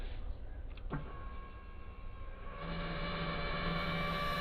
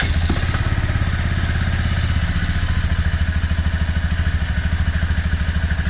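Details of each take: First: Kymco scooter with unknown noise complaint, first suspected cooling fan: thin steady high whine rising over a low hum once powered; identified as the fuel pump making the noise. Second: Kymco scooter whose fuel pump had been screaming, and which also shuts off randomly (new plug fitted): the engine thumps at a regular idle with no high whine over it. Pump noise gone after treatment, though fuel pump replacement is still advised.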